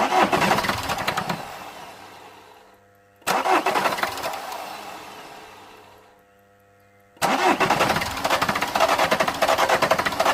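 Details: 2008 Vauxhall Corsa 1.3 CDTi (Z13DTH) with an intermittent no-start and no codes, fuel pressure present: three separate bursts of starter cranking, each fading out, and the engine never runs. The injection system is suspected.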